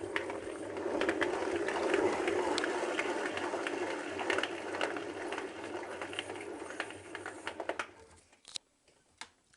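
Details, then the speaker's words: Hotpoint Aquarius WMA33 1300-spin washing machine: rough, gritty grinding rumble as the drum turns, from worn-out drum bearings; the machine is at the end of its life. "pretty Mankey around the door and the seal and this is the worst bit the bearings have gone"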